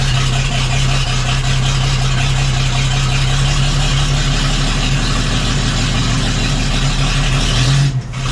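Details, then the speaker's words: 1941 GMC one-ton pickup, 230ci straight-six, first start after 15–20 years sitting, fuel purged to the carburetor, started without choke: steady, even, slightly fast high idle with no misses, running normally. "it's alive [Music] so [Music] how cool is that 41 gmc kelly hasn't run for 15 or 20 years at least hasn't been on the road in a lot longer than that"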